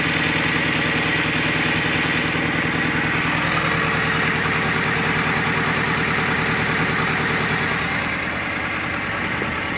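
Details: R53 MINI Cooper S: the idle lopes with an uneven, stumbling beat and a dead pulse; cylinder 1 misfires with zero compression, and a slack timing chain and broken guide rail were found.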